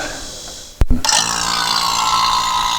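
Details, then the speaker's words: 2007 GMC Acadia A/C service after replacing the charge port valves: a thump as the vacuum pump switches on, then a steady, even motor hum with no labouring while evacuating the system; normal vacuum pump operation. "that sounds much better now we're pulling a vacuum so we'll let that sit here for i don't know half hour at least we want to get down as low as we can go"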